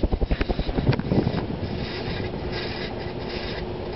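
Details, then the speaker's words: 1981 Emerson Heat Fan HF-152 52" industrial ceiling fan, K63 motor rated 1.3 A, on medium then high speed; low rumbling hum with bearing hiss and rough thrum; bearings shot from motor heat breaking down grease, won't start on low, need replacement. "You can already hear the bearings hissing. The bearings are shot and they will need to be replaced."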